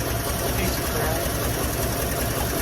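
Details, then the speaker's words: 1957 Chevy Bel Air on its first run in 30 years: loud idle with a rough puffing chuff on each pulse and a raspy edge, an exhaust leak still present after a new donut gasket; pipes look bent and the muffler bolts are bent over. "put a new donut on there still leaking"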